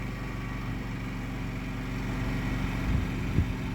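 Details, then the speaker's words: Yamaha generator with NPS eco kit as one air conditioner's compressor kicks in, raising the level from about 55 to 58 dB: steady engine drone firming up slightly; generator carrying the load smoothly. "So according to the decibel meter, that put it up around 58 dB from 55."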